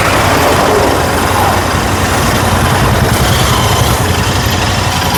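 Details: Royal Enfield GT650 twin after repair: it had misfiring, stalling and a starting issue, the starting issue fixed by replacing a blown fuse. Now a steady, even twin beat at idle with no stumbling or missed firing; normal idle.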